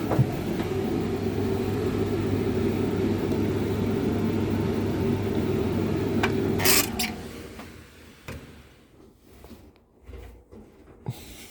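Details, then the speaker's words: Hotpoint TL51 tumble dryer on a test run, clockwise tumble, high heat check: steady motor hum with soft tumbling rhythm about four turns a second, then winds down; running normally. "It's on the clockwise tumble. Yep, but tl51 is drying a little bit longer."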